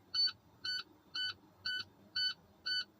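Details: Tractor-trailer air brake test during CDL pre-trip, engine off, brake held: short high-pitched beeps about twice a second as the low air pressure warning light and buzzer come on at 65 PSI, gauge falling to 60 PSI.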